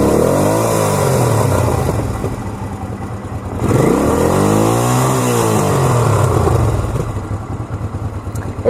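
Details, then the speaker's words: 1985 Honda VT500C V-twin bobber revving with sharp pops on throttle roll-off, heard more in second gear; owner suspects the carburetors need looking at. "backfiring a little it's not to look through the carps but I kind of like that sound of it backfiring but I'm sure it's not good for the for the engine I usually hear it a little bit more when when I'm on second year and I roll off the throttle"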